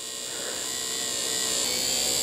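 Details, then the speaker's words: Porsche 3.2 Carrera door window regulator motor tested after reassembly: high, steady electric whir that climbs a little in pitch as it runs freely; it works, though the owner thinks it might still be a little slow; normal power window motor run. "sounds like it's getting better i think that sounds pretty good all right well i think it's going to be fine it might be a little slow still i'm not really sure but i think it's going to work"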